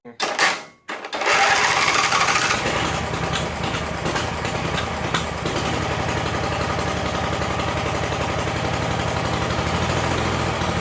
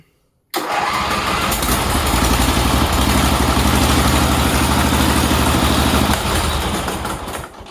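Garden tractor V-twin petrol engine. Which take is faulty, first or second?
first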